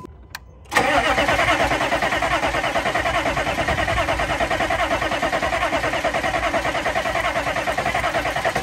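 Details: 2000 Chevrolet C3500 4x4 turbo 6.5 L diesel after fuel pump work: brief crank, catches at once, settles into steady even diesel clatter at idle, no misses; muffler seems cut out, no coolant yet; normal start and idle.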